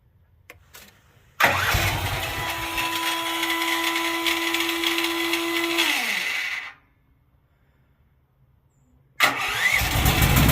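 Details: Duromax XP12000HX generator after fitting NGK BPR6ES spark plug and new gas hose, previously backfiring and not restarting: cranks and catches immediately, steady even drone before shutdown, no backfire or misfire.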